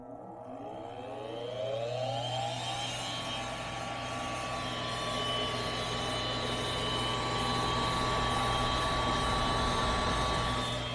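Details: Goodman gas furnace inducer motor running: steady hum with a thin constant whine; draws 2.5 A against a 2.8 A full-load rating, so not over-amping, but the bearings sound worn.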